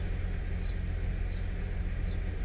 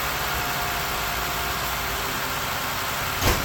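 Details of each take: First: 2006 Ford 500 3.0L at idle: deep rumble with a lumpy uneven beat, misfire mainly on cylinder 1 per scanner, 2 and 3 slightly; shakes at 45–50 mph, tune-up with plugs and coils planned. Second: 2006 Ford Five Hundred after misfire repair and full tune-up, just restarted after priming the fuel pump: steady even idle, no stumble, misses or rough idle.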